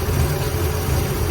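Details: Ford Galaxie V8 running on its own fuel, about half an hour's work: deep, fairly even idle burble, slight unevenness, cuts out a few times, no misfire bursts; sounds decent.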